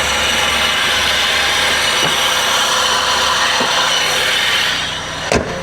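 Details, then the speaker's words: Mazda Miata limited edition, 62k miles, at idle: harsh steady scraping rasp from under the hood at the front of the engine, like a pulley; A/C does not work and the owner suspects the air conditioning compressor bearing. "So, this thing is making some horrible, horrible noises from under the hood. Sounds like a pulley. That sounds really bad."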